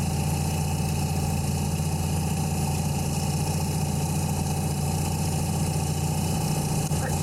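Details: 1984 Nissan 720 pickup, Z24 carbureted four-cylinder, 250,000+ miles, carb serviced 2 years ago, after replacing possum-chewed spark plug wires: steady, even low idle with a smooth unbroken hum and no knocks or misses. Normal idle.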